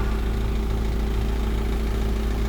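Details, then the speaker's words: 1999 Isuzu NPR 4.8 turbo diesel, 132,000 miles, set to low idle, just started: steady diesel idle with even clatter and a constant low hum from the vacuum pump, which runs about 30 seconds; normal. "So you got a basic vacuum pump that turns on for about 30 seconds. It should shut off in a minute."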